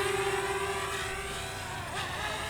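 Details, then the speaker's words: DJI Mavic Mini after fix for unstable flight and uncommanded descent: steady high propeller whine bending in pitch with direction changes, smooth and even, full forward, flying like it should; normal flight. "Full forward. Boy, I'll tell you what, it's flying like it should."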